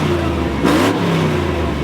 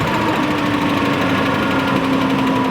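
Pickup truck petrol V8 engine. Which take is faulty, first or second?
second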